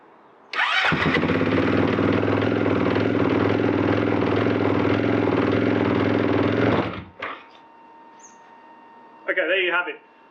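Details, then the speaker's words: Husqvarna FE 501 single cylinder on its original, underrated battery with too few cold cranking amps, at 9 degrees: long stretches of cranking and sputtering over six or seven attempts and 3-4 minutes. It finally catches, a hard cold start. "i think that was somewhere around six or seven starts around three to four minutes of waiting uh for the bike to finally start so there you have it that's how long it takes to start an fe 501 with the original battery at nine degrees temperature"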